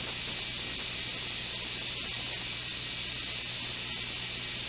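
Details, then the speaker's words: Personal Cushion Lift air cushion: pump stopped so the bypass valve's steady airy hiss is heard as it vents excess pressure from pump and cushion to prevent overinflation; normal relief valve operation. "this is what the sound is like when the bypass valve opens and I'm going to stop the pump so you can hear it the hissing sound what happens is that release this pressure from the pump it also releases pressure from the cushion"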